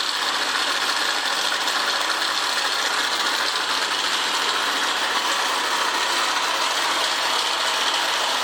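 Constant fast clattering rattle over the running engine, steady throughout with no change in speed; an abnormal mechanical noise from inside.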